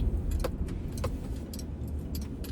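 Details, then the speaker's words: 2000 Ford Ranger 3.0L V6 after cleaning dirty mass airflow sensor, throttle body and idle air control valve: steady, even low idle without hunting or surging, keys jingling; high idle fixed, now normal. "It's idling perfectly, like it's supposed to. Idling high at all. It's idling perfect."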